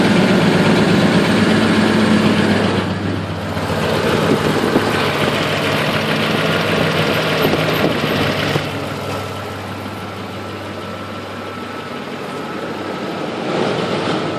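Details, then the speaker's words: 2004 Ford F150 5.4 3V V8 at cold idle after sitting all day: quick, fairly steady ticking rattle about four a second; owner says timing chain on passenger side loose, cam phasers possibly worn, before repair. "Alright, so it sounds like phasers at the front. Especially on passenger side."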